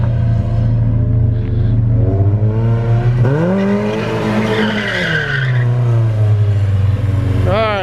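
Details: Porsche 944 race car driven hard after fresh gas replaced stale fuel: revs climb and fall cleanly under load with tires squealing, no stumbles or misfires; runs really good.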